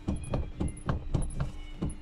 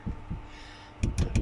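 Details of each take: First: 2015 Toyota Prado rear seatback, unrepaired side, being shaken. Sharp, hollow clunks about four a second as it rocks loosely on a worn recline hinge, compared with the repaired side. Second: 2015 Toyota Prado rear seat after rear seatback recliner latch repair: shaking the seat gives only a few dull soft thumps, no metallic rattle; the latch holds firm, slightly tight but moves normally by hand.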